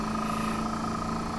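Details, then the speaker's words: 1932 Studebaker air conditioner compressor running with the engine off on battery power, blowing cold air; the compressor kicked off on an earlier day and battery voltage reads 11.7 V. A steady hum with a faint whine and no clatter: normal compressor operation. "Now, I didn't hear the compressor come on, but it did feel like cold air coming out, so I'm going to cut it on. Hopefully I'll hear the fan and then the compressor."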